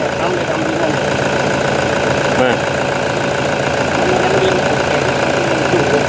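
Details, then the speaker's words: Toyota Vigo 1KD diesel after an injection pump rebuild: steady, even idle with light clatter and no standout knock. Initial clatter is said to quiet down after the first moments; the engine is running healthy. "ช่องแรกมันจะเคพอเขกปุ๊บเจะเงียบลงนะครับ"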